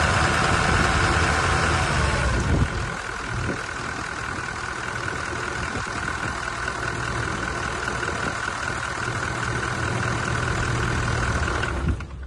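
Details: Toyota 1VD V8 diesel idling with a steady light knock about four times a second over the low rumble; the noise is attributed to a faulty camshaft, knock at idle otherwise unconfirmed.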